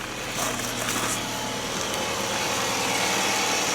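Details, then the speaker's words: Toyota Estima, right-hand drive, after decarbonizing and work on a knock suspected from the swirl flap or manifold; even, steady idle with a light consistent valvetrain tick and no manifold knock; normal idle. "теперь она хоть работает как нормальная машина вас послушайте как нормальная тойота звучит"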